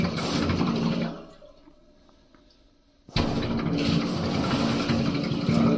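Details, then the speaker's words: 2002 International 8100 with ISM Cummins: 125 psi air blown through the fuel passage, strong rush then full hissing flow both ways with no gurgle or sputter; unrestricted path to the return, so no restriction. "So, we have good flow either way. That tells us we have a good path from here all the way through back to the return."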